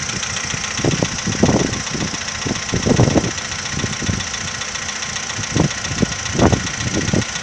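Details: 2015 VW Polo Sedan, cold morning start: irregular low thumping knocks at about one or two a second over the idle. The owner asks whether it is piston knock; the cause is unconfirmed.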